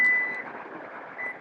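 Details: 2024–2026 Lexus TX power back door closing via button: steady electronic warning beep over the whir of the tailgate motor; normal closing warning.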